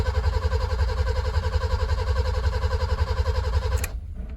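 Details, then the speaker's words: BMW E30 323i sat over a year, radiator removed, good battery: steady starter cranking at nearly four even compression beats a second, never catches or fires, then stops; fuel smelt so fuel pump working; cranks but no start. "Doesn't sound very promising though. I can smell fuel. I'll take it, the fuel pump's working."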